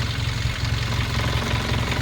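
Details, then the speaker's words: 2016 Hyundai Veloster Turbo DCT at idle: a fast buzzing rattle from a loosely fastened part vibrating with the engine, over the typical Hyundai clatter. The part needs tightening to stop the vibration. "so I'm going to have to tighten that one up that one's all right so yeah this one just needs to be a little bit more tight that way it'll stop vibrating"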